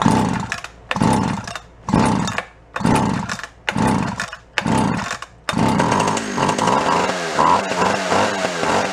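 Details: Echo CS-400 chainsaw found free: several pull-start bursts, then it catches and keeps running with a steady buzzing idle; normal running.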